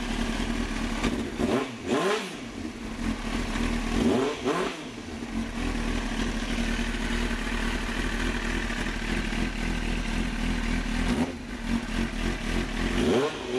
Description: Showing my 2001 Kawasaki Ninja ZX-9 starting from completely cold, having not been started in a few days. Doesn't even need choke, but I still like to use it.